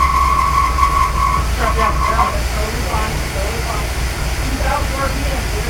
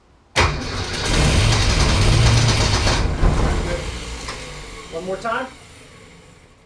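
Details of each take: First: Newly rebuilt '65 Ford Falcon engine, first start after a year of restoration, oil primed and distributor just installed; loud, shaky, uneven running with irregular lumpy pulses and no settled rhythm, rough running, cause unclear. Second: Newly rebuilt '65 Ford Falcon engine, restarted with carburetor mixture turned down and fuel slowly added while cranking; cranks, catches, dies, then fires again and settles into steady even run, normal start before 2000 rpm break-in.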